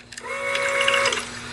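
A short, steady electric buzz lasting under a second, then it cuts off cleanly; that is the fuel pump priming as it should.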